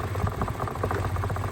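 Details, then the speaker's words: Mitsubishi Mirage after being flooded in a river crossing, fuel pump cleared of dirt; uneven, lumpy idle with irregular pulses, slightly better; rough running from water still in the fuel. "Has to get that water out of there, eh?"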